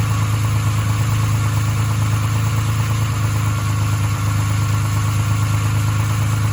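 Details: Nissan 350Z 3.5 VQ35DE V6 idling with a dull, steady knock about three times a second; owner says it has rod knock, not confirmed.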